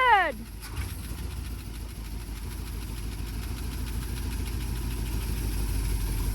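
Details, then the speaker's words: Auction-bought Ford engine with a Holley carburetor, first start: after a brief crank it fires into a low, unsteady, wobbling idle that hunts and never smooths out; rough running, owner hears something possibly knocking. "I'm so happy it runs. I don't It doesn't run very good. Yeah, it sounds kind of wonky. And I don't know, Fords, but it sounds like something's knocking a little bit."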